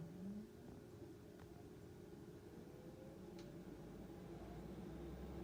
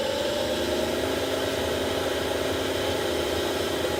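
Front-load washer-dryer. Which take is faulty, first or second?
second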